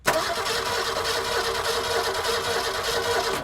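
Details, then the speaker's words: $500 classic Ford Falcon, first crank attempt, oil pump not primed, engine possibly dead: starter rolls the engine over with an even, steady rhythm and no knock or catching from the bottom end; normal cranking. "it'll turn over all right so we now know that we have rotating function that the engine will rotate what I want to do right now is I'm going to let it rotate over a couple of times to listen to see if anything sounds like it's catching like there's a problem in the bottom end of the engine"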